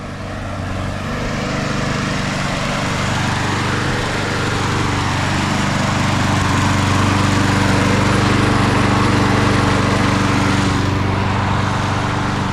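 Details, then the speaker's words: 1999 Craftsman push mower, Briggs & Stratton 6.0 hp Quantum, primer start, 25 years old, revived: steady, even single-cylinder run with a regular beat and no misses or knocks; running normally. "We revived a 25 years old lawnmower. Little Craftsman with the, what did we say that was? A 6.0, 6 horsepower, quantum, primer start."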